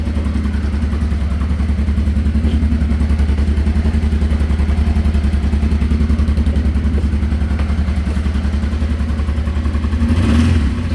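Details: 1989 Honda Transalp 600V, ice-cold start, half choke at about 1,300 rpm; low, even thumping steady for ten seconds with a brief blip; normal cold idle.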